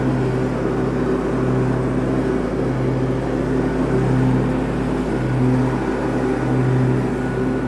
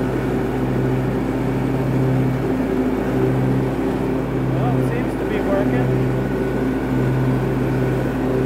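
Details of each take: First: Cub Cadet garden tractor after repair for smoking when hot, exhaust manifold, muffler and air cleaner refitted: loud steady drone with mower deck engaged, pitch constant with no missing or knocking; engine carries the deck load normally. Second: Cub Cadet garden tractor single-cylinder engine with mower deck engaged, after damaged flap repair for suspected oil-burning smoke when hot: steady loud even drone, runs strong; sound doesn't explain the blue smoke.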